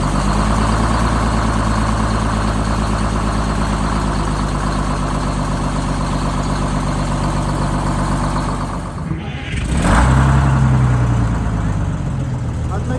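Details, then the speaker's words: Rebuilt bus diesel after fuel-system fix, started cold (20°F overnight, about 42°F that morning) with no ether or block warmer after cranking 5 s in the off position, settles into a steady, even idle with smooth low thrum, no misses or knocks. "So it started with no ether, no block warmer, nothing, which is a really, really good sign."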